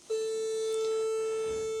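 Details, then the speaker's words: BMW K100 motorcycle, ignition on, left indicator switched on (right indicator flashes normally); flasher relay box gives a steady high-pitched buzz with no clicking; flasher relay buzzing, cause not confirmed. "you get this noise and it's coming from this box here which is the uh flasher relay and the only way to cancel that is that"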